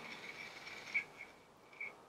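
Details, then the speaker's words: Smail switch motor (Tortoise-style model railway switch machine with built-in decoder) in programming mode, sent a signal to throw: two short faint high-pitched whirs about a second apart, brief motor runs; normal switch throw. "so now about it's flashing we're going to send a signal to the to the smell switch motor and we're just gonna turn that switch"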